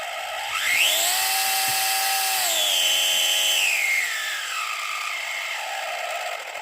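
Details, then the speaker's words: FLY Renault 5 Turbo 1/32 slot car before repair, power increased: thin motor whine climbing then sagging with gritty rasp, binding and sticking; crown and pinion gear mesh too tight. "and it sounds rough as hell if I turn it up"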